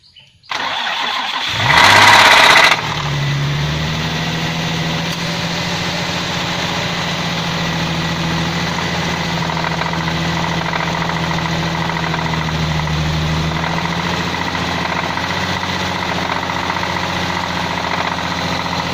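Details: Nissan VQ35DE 3.5 L V6 with variable cam timing (350Z/G35 convertible), 315 hp: cranks, starts and idles with a steady, dull connecting-rod knock.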